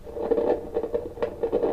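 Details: Kaiser W1835 tube radiogram after electrostatic speaker repair, powered on with the valves removed: irregular crackling bursts over a steady mid-pitched hum, present before warm-up; noise entering the audio stage, a 5 nF capacitor near the B+ supply suspected.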